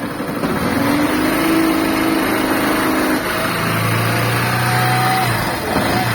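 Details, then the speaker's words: Small motorcycle engine revs up and settles smoothly with no whirring or grinding, the bearing-like noise gone once the stator connector is disconnected; it returns when reconnected. "Cadê o barulho, pessoal?"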